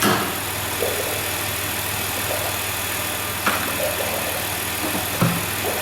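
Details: High-mileage 2008 Dodge Grand Caravan, replacement 3.8 L engine just started and coolant filled: even idle with a few light throttle blips returning smoothly, no knocking or rattles; sounds healthy.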